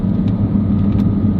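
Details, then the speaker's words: Gen 1 Audi R8 V10 on a test drive: a steady low droning hum under road noise, suspected wheel hub/bearing, likely front right, worse when braking. Not confirmed. "Yeah, we're definitely swinging wide here. Do you hear that hub? Yeah, it might be. Yeah, I think it's a left."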